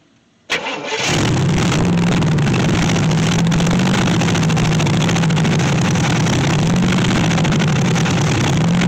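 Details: 1964 Chevy Impala SS Convertible, long-sitting project: cranks and catches, then settles into an uneven, loping idle with wandering pitch; rough running because ignition timing is still all over the place.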